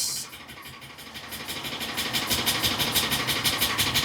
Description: 2013 ford E450 6.8 f50 # f53 misfire Detected cylinder 1 # 6 # 10